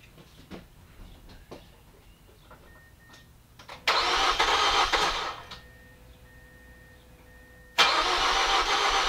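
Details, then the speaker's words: 2005 Mazda 6, battery replaced a week earlier, ran for one drive then would not start: two bursts of cranking, about one and two seconds, engine never catches; crank, no start, cause unknown. "uh and it went for like one drive and then wouldn't start again so trying to figure out what the issue is so here's how it sounds"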